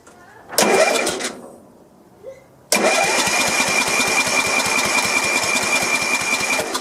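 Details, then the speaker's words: Sears LT1036 lawn tractor with Tecumseh engine, sat for years: uneven churning of the starter turning the engine over at about two or three turns a second, never catching; very weak spark, no start. "Well, I did see a spark. It's kind of weak, but it's there. I wonder if that's enough to crank it over."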